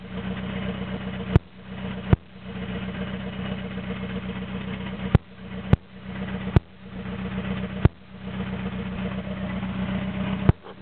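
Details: Toyota AE86 with naturally aspirated 4AGZE, re-pinned bluetop harness, ECU, injectors and fuel rail: lumpy idle with irregular pops and sagging revs, struggling to hold idle, no exhaust past the downpipe; rough idle.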